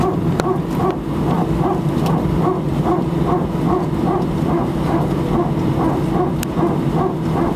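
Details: Air France A319 at Sofia, departing for Paris, heard from seat 18F: rapid dog-like barking pulses about twice a second over steady cabin hum during taxi; a strange barking noise, likely hydraulic but source unconfirmed.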